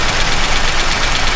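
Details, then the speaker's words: Chevy truck V8 after valve adjustment, very low oil: fast light ticking over a rough idle, following engine speed; lifter tick, not a loose valve, from low oil supply, little oil reaching the rockers, which should spray onto the manifold. "that's just valve LIF noise that's not a loose valve per se you see there's very little oil coming up to these they should be spraying onto the manifold"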